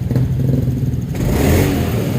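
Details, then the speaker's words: 2017 Honda Scoopy after ECU reset to mode 1, idle set by ear; earlier complaint was rough sound climbing and weak pull from a worn roller housing: on throttle, revs climb straight away with a steady drone and no hesitation, pulling immediately. "Coba kita gas, beda sama yang tadi. Ini digas langsung tarikan terasa,"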